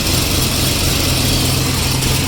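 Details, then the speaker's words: Turbo IROC at idle after exhaust leak repair: fast fine ticking still heard from a leaking exhaust joint, much better than before and quieter once warm; flex pipe may need replacing; exhaust leak ticking at idle. "Let's see how the engine sounds with the exhaust leaks. Oh yeah. You still hear a little bit."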